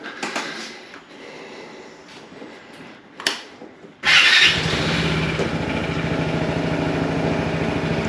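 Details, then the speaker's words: Vespa GTS 300 HPE restarted just after its 1,000 km break-in oil and filter change, engine warm: starter whir, then it catches a little noisier than usual and quiets into a steady idle as the oil pressure light goes off; normal start. "okay the oil pressure light came off that's a good sign and the engine when I don't know if you could hear it but when it first started it was a little uh noisier than usual and then it quieted down so presumably that means that the oil is circulating"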